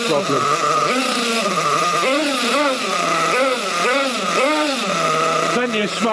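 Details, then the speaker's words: Trophy nitro buggy running outdoors in the cold: revs rise and fall, sounding thin and hesitant at the bottom end; a lean low-speed needle, later confirmed as a carburettor issue. "I think it might be the low speed eagle's running a bit bit on the lean side."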